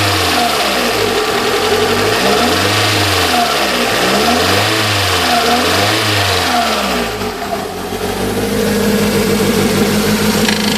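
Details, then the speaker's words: Toyota MR2 supercharged with uneven, hunting idle surging and dipping every couple of seconds and a light tapping tick on top; tick suspected to be a valve, sounding different since a possible exhaust change. "That one sounds like a valve, doesn't it?"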